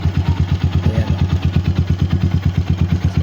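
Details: RC250 single with 34,000 on the clock, original battery, started with an emergency start since push button fails: steady even quick idle thump, about three beats a second, no misses or clatter; idling normally.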